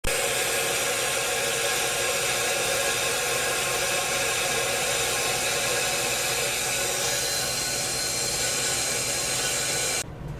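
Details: Hayward Super Pump motor running with a loud, steady hissing roar. The failed pump seal leaked water onto the front motor bearing, ruining it; the bearing and seal are to be replaced.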